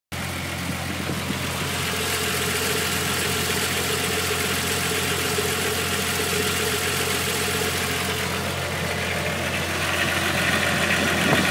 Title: Mk3 vr6 mystery rattle/noise